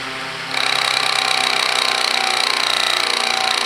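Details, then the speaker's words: Kwik Kool fan with oscillator rigged by wire: sudden loud fast buzzing rattle with high ringing tone for about three seconds as speed drops, then shut off; no burnt smell, cause unknown. "that's weird all of a sudden it's like that noise and it uh that's when it wants to decline"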